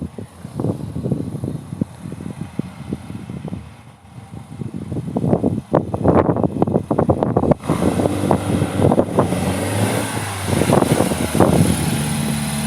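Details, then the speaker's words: MGB GT on test drive after cleaning fuel pump points, blowing out fuel lines, rechecking tappets and resetting carbs to cure awful running: pulls up with loud, blatting exhaust and mostly steady but not quite clean beat; running improved, exhaust still loud. "he sounds better now even though that exhaust sounds way farty"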